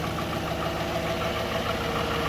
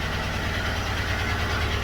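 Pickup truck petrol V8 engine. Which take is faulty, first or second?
second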